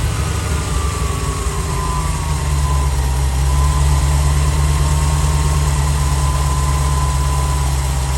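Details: 1989 C4 Corvette TPI V8 just after fuel pump module replacement: steady low idle with a faint gliding whine fading away, even rhythm, no stumble. Fuel pressure is slightly low under high idle vacuum and rises when revved. Healthy running.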